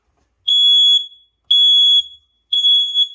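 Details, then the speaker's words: Newly installed mains-powered smoke alarm, green light on, pressed to test: three loud piercing high beeps about once a second, each half a second long, in a quiet room; the alarm works, interconnection with the downstairs unit uncertain. "I'm going to press the test. So this seems to be working."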